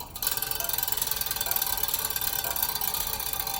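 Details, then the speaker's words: Bicycle wheel spun while plucking spokes: rapid even clicking, slightly lower tone on reflector-mounted spoke; spoke tension normal. "The one that's making the funny noise is the one that the reflector's attached to. It's a little lower tone. So spokes seem to be good."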